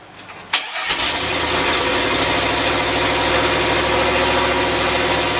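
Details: LS turbo Miata kart after engine swap, MAP sensor rewiring fixed, no proper injectors yet: sharp crank catch then busy uneven idle with throttle blips; throttle response not right, tune still needs work.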